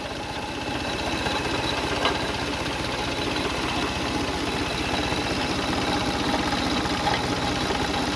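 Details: Car engine at idle with a light, fairly quick ticking knock, a couple of beats per second, steady with engine speed; no leaks seen at the cover; traced to failing water pump bearing.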